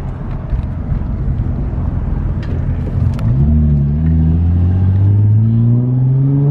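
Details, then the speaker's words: Nissan 350Z on a test drive after clearing misfire codes; the engine pulls cleanly from low revs, pitch rising steadily through the gear with even firing and no stumble; it feels strong and smooth under load, no misfire. "oh yeah feels real good now i'm really happy feels really really good now sick"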